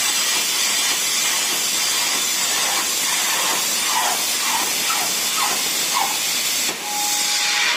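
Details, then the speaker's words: Compressed air supply for plasma cutter: loud continuous high-pitched hiss, steady and unchanging, after an O-ring popped out of the air dryer; compressed air leak. "idea what that noise is? Just popped an O-ring out of the air dryer."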